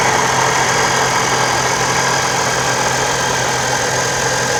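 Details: Toyota 4.0L with TRD supercharger at idle, at operating temperature: constant high hissing whir over the low engine rumble, from the supercharger. Supercharger noise at idle.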